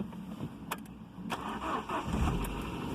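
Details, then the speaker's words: Ford Ka, cold start at about 6–7 °C after sitting days, flat battery so on jump pack, after coolant temperature sensor replacement for hard cold starting: slow few cranks, then catches quickly, steady idle and smooth revs; starts fine. "started up nice quickly it's running smooth if i rev it up revs up nice and smooth"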